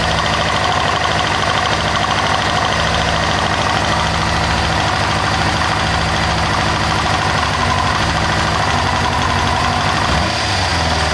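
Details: 1998 Kawasaki ZX6R inline-four at idle, after a valve adjustment: fast, light, even ticking seemingly from the rear under the fuel tank rather than the cam chain area; cause not pinned down.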